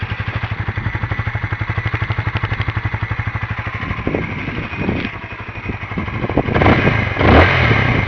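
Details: Newly bought Honda CBR125R four-stroke motorcycle, about 75 mph top speed, outdoors in wind; even steady idle putter, then short throttle blips that climb and settle cleanly; normal start and idle.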